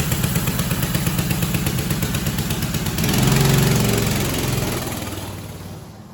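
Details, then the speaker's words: Small minibike/tiller/mower engine running on choke while warming up, after carburetor cleaning: choppy, uneven idle thumping about three beats a second, throttle blip sags away; still running rough, unchanged after cleaning. "That's not great."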